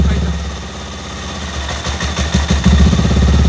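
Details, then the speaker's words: Benelli TNT 25 single-cylinder after clutch basket repair: muffled even idle then light throttle blip, no clutch rattle or clacking; basket now tight, normal idle. "Por lo pronto no se escucha ningún [Música] ruido"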